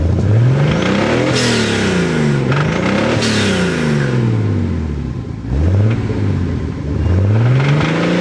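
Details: Nissan 280ZX Turbo L28ET engine revved up and down repeatedly, with a loose metallic knock under the rising note, worst on the rev; rod knock.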